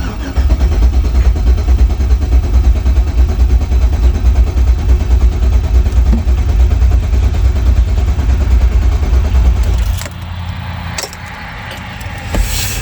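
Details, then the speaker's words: Chevrolet Suburban after fuel rail modification, fuel pump primed: long steady deep cranking at about one beat a second that never catches; crank no start because a component was left disconnected. "Well, I thought I was forgetting something. This little uh guy right there. Go ahead and get that hooked up."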